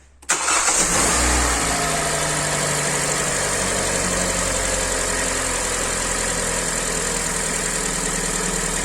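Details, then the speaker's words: Hyundai i40, 150 thousand mileage, first start after rebuild with block sleeved, new pistons, honed liners and head repaired: catches instantly, flares, then smooth even idle with no knocks; piston knock gone. "работает ровно посторонние звуки отсутствуют штука поршне не осталась"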